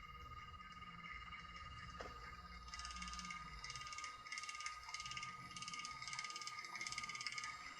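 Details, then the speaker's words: Lemax Day of the Dead decoration motor whirs with a thin tone and a fast, uneven clicking. The clicking comes from a warped drive pulley smacking and rubbing the housing bottom; it is much quieter after the repair. "that loud clicking sound that was earlier it's much quieter now is the pulley is warped and the pulley was smacking the bottom and rubbing it"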